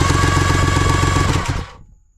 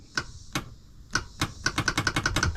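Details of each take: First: 1999 Kawasaki 900 STX jet ski, engine out for a top-end piston rebuild, new starter tested with no carburetor fitted: quick, even whirring spin with steady rapid pulses, clean wind-down; normal starter cranking. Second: 1999 Kawasaki 900 STX jet ski after top-end piston replacement, cranking test on a lead-acid battery: sharp single clicks speeding into rapid ticking, never turning the engine over; starter motor failed.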